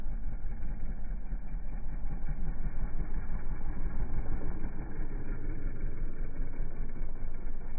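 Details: 2024 Kawasaki KLX140RL small single idling after its first oil change: a steady low thump with even loudness throughout and no knocks or misses; a healthy idle.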